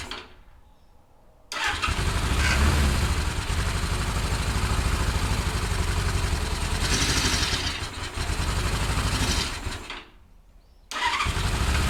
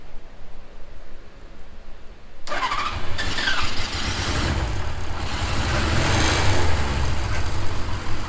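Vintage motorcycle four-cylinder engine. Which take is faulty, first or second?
first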